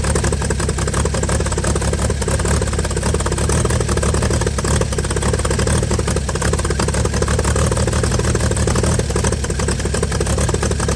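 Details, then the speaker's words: 1955 Chevy inline six truck revived after sitting about 30 years, solenoid off another vehicle, carburetor filled and leaking, just started: steady, even idle with low regular beat, no knocks or misses; normal idle. "you gotta say she runs pretty good we're gonna let her cool down here and fire back up"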